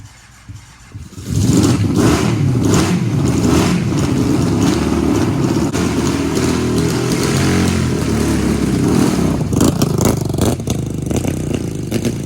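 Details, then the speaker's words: 750cc half-scale NASCAR kart on a cold start with choke down after sitting for months. Once it catches it holds a steady, even, smooth fast idle with no misses or knocks; normal running. "So this thing is running real good."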